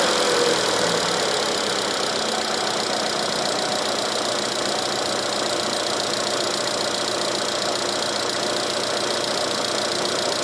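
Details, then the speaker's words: 2013 Chevrolet Cruze 1.8L non-turbo, after repairing a P0300 misfire with a dead miss and no spark on cylinder 1 using a GM part: it now holds an even, steady idle with no skips, and all misfire counters read zero. "I misfire counters right now hopefully you can read that they're all at zero I'm gonna take it for a test drive but I have no misfires now"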